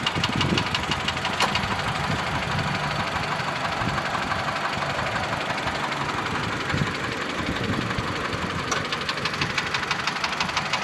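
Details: Mitsubishi Lancer X 2.0 (4B11) knocks constantly at idle, cold and hot: a light, fast, sharp tick about three per second. The ringing knock disappears with the air conditioning on, returns when it is off, and partly fades at higher rpm. Cause unknown.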